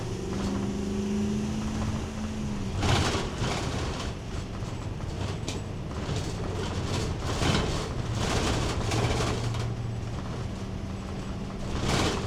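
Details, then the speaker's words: 2026 Thor Chateau 19Z motorhome driving: road rumble with constant irregular clattering and rattling bursts as the interior vibrates and items fall out of the medicine cabinet; no single source identified. "Okay, now after that drive. It was just horrendous noise and rattle. Everything was falling out of the medicine cabinet."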